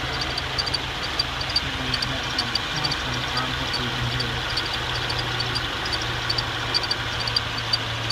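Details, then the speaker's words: 2014 Subaru Outback at 11,433 miles, idling: sharp, high chirps about three times a second from the engine bay over a steady idle; source not yet pinned down. "attempting to record the chirping sound in my engine area."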